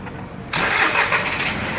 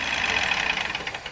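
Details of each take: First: 2018 Ford EcoSport 1.5 three-cylinder Dragon engine, first start after repairing an upper-engine noise caused by wrong oil for its oil-bath timing belt; brief crank, clean catch, steady even idle, no knocks; normal start. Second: 2018 Ford EcoSport, 1.5 three-cylinder Dragon engine at idle: rapid light ticking from the top end at the intake camshaft; intake cam phaser solenoid clogged with dirt/sludge, blamed on wrong oil change.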